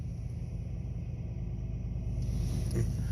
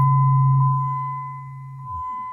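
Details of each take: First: Jeep Liberty that cranked but wouldn't start, fixed with fuel added and a new fuel pump relay and ASD relay: steady low rumble with an even beat, no knocks or misses; smooth healthy idle. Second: Jeep Liberty crank-no-start, microphone at rear by the trunk: steady low hum about two seconds at key-on, then drops away; newly installed pump primes but delivers no fuel pressure to the front.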